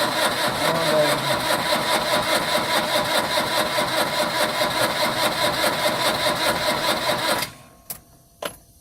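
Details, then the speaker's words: Very old truck, long unused, fed WD40 and lighter fluid to start: steady cranking at about 2.5 beats a second for seven seconds, never firing, with smoke; cranks but will not start. "Not doing much, is it? Nothing at all."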